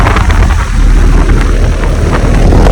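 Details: Outdoor air conditioner or heat pump condenser at a vineyard, with an Emerson Copeland scroll compressor (2017). Steady low hum with an even fan whoosh and no knocks or rattles. Normal running.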